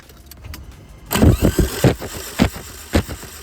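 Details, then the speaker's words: Corrado G60 with 65k miles, spark plugs out, likely out of fuel and with immobilizer trouble: starter spins the engine quickly and lightly with no compression pulses, binding or knocks; engine cranks freely. "get it to spin over, which is nice. Sounds like it's pretty free to me. I'd say that's a pretty good start so far. Engine turns freely, which is a good sign."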